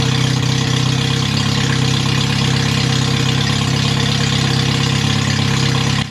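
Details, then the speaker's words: MG Midget with rebuilt twin SU carbs, exhaust removed but manifold on, no radiator, run briefly on full choke after a prior timing issue: steady, slightly lumpy fast idle while the jet is adjusted to stop stutter off throttle. Uneven idle. "so here I'm just playing around for the adjustment on the jet tube just trying to get it to idle and run a little bit better and not stutter when I come off of throttle"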